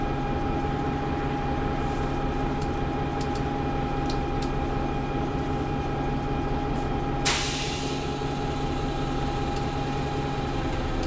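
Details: Preserved GM Buses MCW Metrobus Mk1 5120 (SND 120X) diesel, 2012 running day: steady low idle drone with faintly uneven, lumpy beat underneath; known idling problems, bad diff, sometimes won't engage third gear; rough idle.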